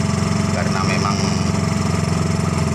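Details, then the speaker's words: Suzuki Carry pickup converted to a Thunder 125 motorcycle engine with a bare-pipe exhaust, warming up: steady fast single-cylinder putter with a bark, even low beat, no knocks or misses; normal healthy idle. "Suaranya masih suara mesin motor"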